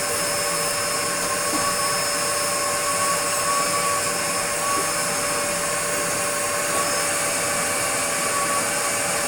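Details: Restored Dyson DC02 DeStijl with suction restored, cleaning a floor: loud, smooth, steady motor rush with an even high tone and no surging or rattles. The vacuum motor is running normally.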